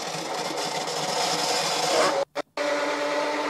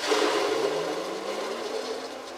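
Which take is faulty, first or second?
second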